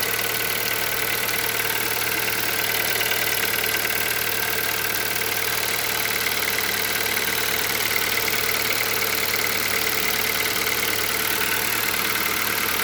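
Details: Hyundai Solaris 1.6 engine knocking on a cold start at idle: a faint, uneven tapping about two per second under a steady hiss; cause unclear.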